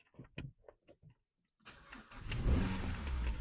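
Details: Car ('Bumblebee') restarted after clearing fault codes: brief crank, then it catches cleanly into a steady, even idle with no knock or rattle and the light doesn't return; normal start, oil-side sensor suspected faulty, no oil pressure fault.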